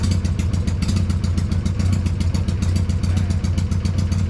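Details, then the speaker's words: Freshly built Hammer Performance 1250 Harley Sportster (ex-883) during 30-40 second break-in warm-ups, no cam work: sharp regular light tick about two per second over deep lumpy idle; owner suspects oiling, unconfirmed; top-end ticking. "We want to make sure everything's getting oil, because I'm hearing a ticking. I'm paranoid. I hear it ticking on the top end, but there's no cam work, so it shouldn't be anything different on the top end."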